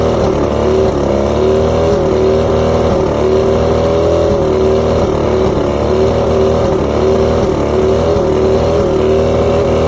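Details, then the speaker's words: Outboard with rough idle, surging and misfires: coil output voltages read about 250 on every coil except coil 4, which is fed by the bottom switch box that controls the even coils. The engine drones loudly with an uneven, wavering beat. Coil 4 later tested good, so the switch box is faulty and gives weak spark. "So all of them are around 250 except for coil number 4. So that begs the question, is it the coil or is it the switch box?"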